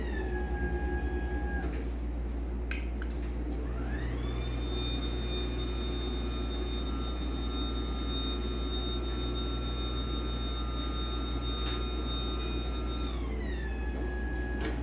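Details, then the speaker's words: LiftMaster 84505R belt-drive opener, run with the door disconnected so only the motor is heard: the whine climbs in pitch, holds steady about nine seconds, then winds down evenly with no grinding; normal, though judged kind of loud. "so yeah I do think it is kind of loud"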